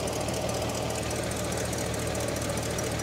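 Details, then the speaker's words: 1969 Cadillac Eldorado V8 with 21,000 original miles, running for the first time in 20 years: even, steady idle with a constant low rumble and no misses or surges; charging at 13.2–13.3 V, with no fuel or water leaks. "I don't see anything leaking I don't see any fuel I don't see any water first time in 20 years"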